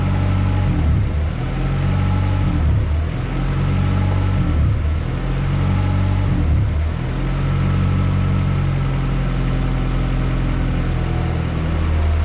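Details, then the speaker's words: 1994 Honda Accord, 256,000 miles, after throttle body cleaning with idle screw fully in: idle sits just over 1,000 rpm, swelling and dipping about every two seconds. High idle. "So the idle is at, looks like right over the 1,000 mark. So I'm gonna go ahead and try to figure out why it's idling too high."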